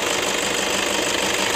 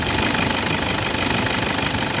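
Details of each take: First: 2011 Toyota Fortuner 2KD 2500 cc diesel: rough engine sound at idle, a harsh rasp with a quick uneven flutter. Worn belt tensioner assy and idler bearings let the belt slap, since the tensioner spring has weakened; recorded before replacement. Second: 2011 Toyota Fortuner 2KD 2.5 diesel after replacing the worn belt tensioner assembly and idler bearing for a rough engine noise: steady idle with even injector clatter, about three beats a second, no whirring or rattling from the belt side; now much smoother.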